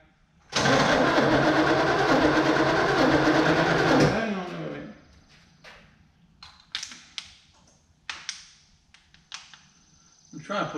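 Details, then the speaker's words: 1964 Chevelle Malibu SS convertible, 283 two-barrel V8 with a factory four-speed, always hard to start: starter churns evenly about three seconds without catching, then quits; fuel starvation, with the carb fuel bowl dry and a stuck float possible. Fuel pump condition unknown. "sure the fuel bowl is dry flip might be stuck who knows but go ahead down this thing always was hard to start"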